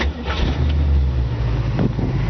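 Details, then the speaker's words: 1966 Ford Mustang convertible, C-code 289 V8, 57,000 original miles, engine rebuilt about 5,000 miles ago, pointless electronic ignition; fires right up at once and settles into a deep, even burble with no misses or knocks; healthy start. "Fires right up. It's got a really beautiful engine detail. Engine was rebuilt."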